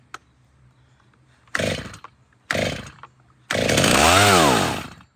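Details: Freshly rebuilt Stihl MS390 chainsaw, chain back on, started on choke: catches in short uneven bursts, drops away, surges and dies instead of settling; erratic idle, same fault as before, cause unknown.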